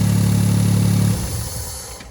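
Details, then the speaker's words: EF-DET engine that was jerking/misfiring, after ignition coil replaced: smooth even idle with steady low hum, no stumble or miss, then switched off and winds down. "Okey dia hidup tak ada fire tu."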